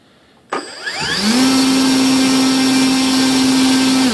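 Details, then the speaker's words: Volantex/Lanyu ASW-28 V2 sailplane with a replacement ESC, static bench full-throttle test. Quick spool-up to a steady clean high whine; about 15.48 A, roughly 165 W. Motor and ESC healthy. "so we're gonna go ahead throw cuts off bring it up [Applause] looks like about 15 amps bottle fifteen point four eight amps or"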